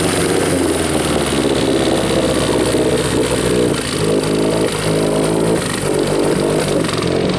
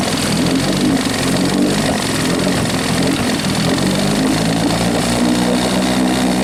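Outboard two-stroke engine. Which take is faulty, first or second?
first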